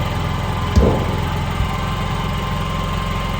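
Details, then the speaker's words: NPS 5500 inverter generator powering an RV, just after electric start: settles into low, steady, even hum at light load (fridge, some lights), no knocks or hunting; very quiet, normal idle. "I mean, this is, you know, just running the fridge or whatever, your inverter. There's not a lot running. Some lights in the camper. Very quiet."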